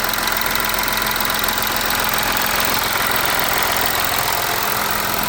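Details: VW Amarok V6 TDI, first start after coolant leak repair and new cam covers, no stored faults: steady idle with even, light diesel clatter about three or four ticks a second, no odd knocks; normal idle.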